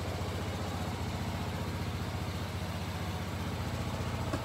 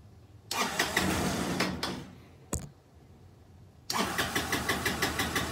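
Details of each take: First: Kymco scooter after carburetor repair and successful test ride: steady even low putter at about four pulses a second, no misses or stumbles; normal idle. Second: Kymco scooter with gravity-fed carburetor, fuel pump bypassed: repeated short start-and-stall bursts with a ragged, uneven putter that never settles into idle, still running poorly, so fuel pump likely fine; blocked carburetor idle jet.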